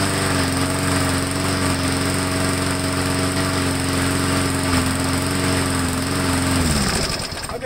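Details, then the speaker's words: Briggs Classic engine on a lawnmower, cold start, carb cleaned, new air filter and oil: steady buzzing run for several seconds, then pitch sags and dies; stalls unless primed, cause unconfirmed. "so it is priming very well but like i said it starts and then it stalls"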